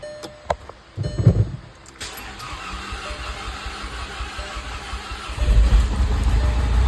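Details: VW Jetta MK5, first start after reassembly and timing work, fresh oil and filter, cranked first with coils unplugged to build oil pressure: the engine catches and settles into a steady low idle, fuller rumble late. Sounds normal.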